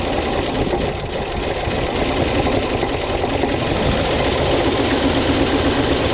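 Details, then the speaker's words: 1979 International Scout II after sitting 20+ years: fast cranking about four beats a second with ragged catches that never settle into an idle; engine fires but won't run, later lost spark. "couldn't get it to run i actually got it to to fire a little bit i'll insert that footage here"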